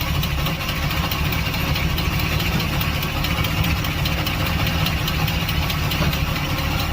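Engine idling steadily with a light, regular tick riding over the low rumble, several ticks a second. Cause suspected, not confirmed.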